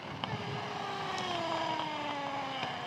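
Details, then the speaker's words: Electric inline skate with 3D-printed frame, battery in backpack: whining motor tone sags in pitch with sharp clicks as it labours, then one hub motor stops; wiring chafed; rider first guessed overheating. "Okay, I need to sit down. One motor just stopped working and let me try to figure it out."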